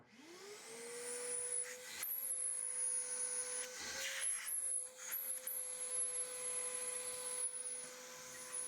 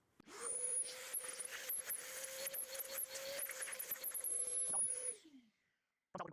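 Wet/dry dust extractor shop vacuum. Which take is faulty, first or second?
second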